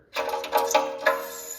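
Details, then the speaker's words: 2023 Honda Pilot, under 100 miles, after driving gravel roads; harsh metallic screech in bursts from a wheel, a rock caught between the brake disc and the metal dust shield, to be knocked loose with a zip tie. "Well, if anyone else out there has a 2023 Honda Pilot and it's making a terrible screeching noise, you most likely picked up a rock in between this metal bracket and this disc here."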